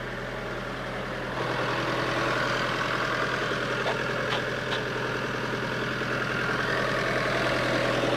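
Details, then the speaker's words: Motorhome engine at standstill randomly holding a raised, busy idle with a steady beat about three per second instead of dropping to low revs, as if compensating for something; high idle, cause unknown. "Simplemente veía que, de forma aleatoria, en vez del motor estar con unas revoluciones mucho más bajas, estaba él solo mucho más alto. Como si estuviera intentando compensar algo."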